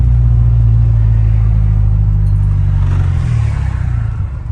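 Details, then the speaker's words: 1991 Nissan 240SX warming up: deep drone held at revs sounds lumpy and uneven, breaking up around 2000 rpm, then sags toward a low, rough, shaking idle that recovers and pops; ongoing misfire, cause undetermined. "so I'm still having this idle misfire I'm sure you guys could probably see it or hear it but it starts to break up at 2000ish"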